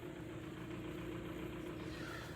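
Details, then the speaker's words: Kia Cerato 1.6 G4FC, automatic, 212,000 km, burning about 2 L oil per 10,000 km: steady idle with dull rhythmic knock from low in the block, heard strongly in the cabin; piston slap, not cured by a chain replacement. "мотор стучит хорошо особенно салона это слышно"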